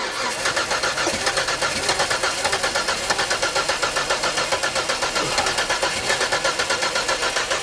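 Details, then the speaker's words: 1989 Ford Sierra GLS 2.9i 4x4, stored 20 years in a shed, cranking with easy-start sprayed into the plenum: fast steady cranking with ragged catches but never runs alone; spark present, immobiliser suspected. "So it sounds like it's trying to fire Yeah. when I spray a bit of easy start in through the sort of the plenum."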